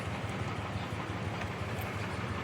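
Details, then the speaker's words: Mitsubishi Mirage G4 with a low, uneven idle, a stumbling thump, vibration and stalling. The OBD2 scan shows a cylinder 1 injector circuit low code and a cylinder 1 misfire. "So yan yung problema niya no. Nanginginig po kasi yung sasakyan. An baba ng RPM niyo."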